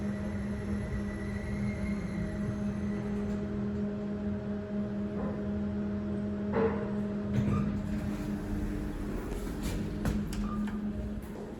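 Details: Kone Monospace (EcoDisc) car park lift while travelling: quiet steady low hum with a few faint knocks; bad drive bearings suspected, not confirmed.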